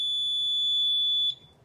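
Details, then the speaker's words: Suzuki 30 hp outboard, no-start troubleshooting after submersion, suspected neutral safety switch: steady high buzzer then cuts off, no starter or cranking sound; engine not turning over, battery voltage reading zero at test point. "see the engine is not turning over and the batteries voltage is zero"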